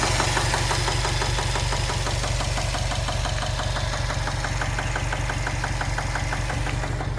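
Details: 2015 Subaru WRX STI at idle after a 2–3 mile drive home: a firm, regular knock nearly three times a second, a deep internal knock of sudden onset with no warning lights; cause unknown.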